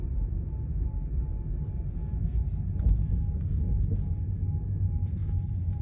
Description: VW e-Up, Volkswagen, eUp, e up, intermittent whirring whistling noise from the rear of the car. Noise will go away only to come back lower or higher speed.